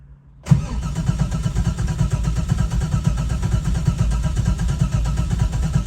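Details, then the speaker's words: Engine on Holley Terminator X EFI, initial start: starter turns it over in steady, slightish pulses for several seconds but it never catches; battery voltage sags just under nine volts, too low to start. "So, that battery voltage is a little bit low. It's right under nine. That might not be enough to start it. So, let's go ahead and charge the battery a little bit more and then we'll give it a shot."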